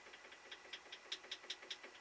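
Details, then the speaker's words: Woodturning lathe live center, about 14 months old, spinning with light sharp metallic ticks about five a second; its bearings have more play than they should; live center bearing play knock. "I mean a small amount of playing the bearings now bearings have got to have a certain amount of plane them otherwise they'd just be locked up solid but this has got more play than it should have"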